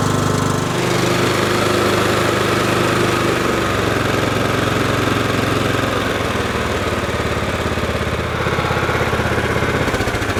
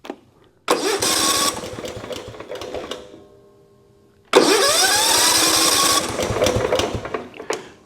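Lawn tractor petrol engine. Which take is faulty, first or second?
second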